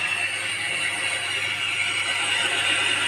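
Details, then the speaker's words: DeWalt 801 angle grinder that suddenly became very loud, running with a harsh, rough high-pitched roar. Failed armature bearing. "Sound बहुत ज़्यादा आवाज़ कर रहा है। अचानक से बहुत ज़्यादा आवाज़ करने लग गया।"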